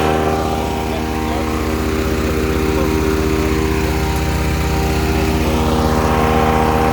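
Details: Ducar woodchipper, quick running demo. Steady, even small-engine drone holding constant speed with no surging, knocking or rattles, runs healthy.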